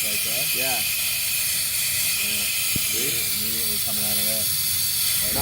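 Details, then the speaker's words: Workshop air compressor that should cut out at 120 psi: steady sharp hiss right after the motor stops as the tank immediately bleeds pressure; owner suspects a faulty intake check valve. "when we kill the power yeah is dropping pressure"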